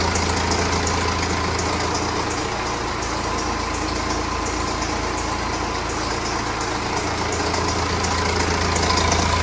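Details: BMW N47 diesel, over 130,000 miles on likely original timing chain, idling with a bad busy metallic chain rattle over the clatter, pulsing about four times a second.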